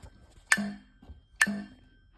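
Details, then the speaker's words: 4040 fire alarm horn/strobe plugged in: sharp single clicks with a bright ring about every 0.9 seconds instead of a proper alarm sound; owner unsure whether it is underpowered, overpowered or dead. "when I plug in the 4040 I'm not sure if I'm under a power overpowering it or or it's just no good or the arms dead"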